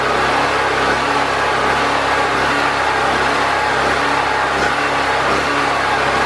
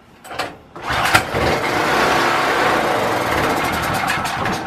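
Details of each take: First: Predator 4000 generator after fuel and carburetor troubleshooting, with air box and air filter reinstalled and still on old oil: an even, unbroken drone at constant speed with no surging or stumbling. It runs consistently. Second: Predator 4000 generator, pull-started with choke and fuel on, vacuum-fed fuel system with the tank return line already checked clear: it catches after a couple of pulls, runs a few seconds, then sags and dies, starved of fuel. Found cause: wrong carburetor gasket.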